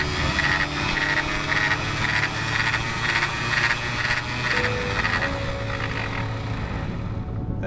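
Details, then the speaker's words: Sailboat anchor windlass after full disassembly and service, running unloaded without the shaft: smooth even gear whir with a light steady tick about twice a second, no grinding or labouring; gearbox healthy again. "it took a few hours of running the windlass but it finally purred like a kitten and sounded just like it did when we first bought turtle"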